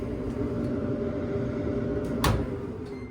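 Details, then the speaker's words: Samsung dryer after cleaning lint from blower fan: runs with smooth steady hum, no rattle or vibration; lint had unbalanced the fan. "As you can see, everything's turning and running like it should. And our noise is gone because we don't have that lint throwing off the fan while it's trying to spin."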